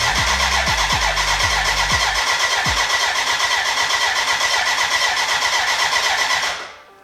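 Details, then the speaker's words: BMW K100 café racer build, first start attempt with fuel in: starter spins steadily six seconds with even compression beats, never catches; fuel problem, dry despite being connected to the tank, crank no start. "there is a fuel problem now it's connected to the tank but it's damn dry so now yeah i have to figure out why if our water water pump if our fuel pump does have power or not"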